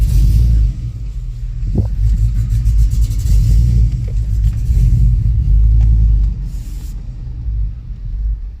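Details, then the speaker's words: 2005 Chevrolet Tahoe 5.3L 4x4, new fuel pump, P0174 lean bank 2: deep V8 rumble under throttle sags and fades around six seconds as the engine stumbles and dies; first thought fuel starvation, cause found to be a poor engine ground. "and i just died look at that [Music] see that look at that just died again you hear that"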